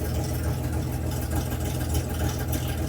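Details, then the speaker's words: Restored Debonair engine idling on choke: steady, even low idle with a smooth beat and no knocks or misses; running better than ever before. "and it's never run that well before. That's pretty cool. Hey, what do you think? That sounds pretty good."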